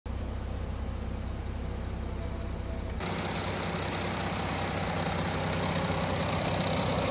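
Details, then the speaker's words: Audi A6 C8 3.0 TDI (third gen) diesel idling with a fast metallic rattle and tick from the top of the engine: loose timing chain and worn camshaft sprockets, before engine removal for repair. "the engine is making bit of rattling noise what you seen on the previous video the chain is a bit loose so it's a combined sound from the engine from the chain and the worn out come shot sprockets"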